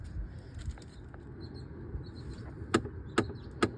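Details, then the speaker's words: 2010 Chevy Impala blowing cold on the passenger side and warm on the driver's side: with the key on, three sharp evenly spaced clicks from a binding blend door (temperature) actuator behind the panel, located by touch. "Turn the key on and you can hear one of those actuators is binding. And you can touch it. Put your hand on it back here and you can feel is definitely this actuator right here that's clicking."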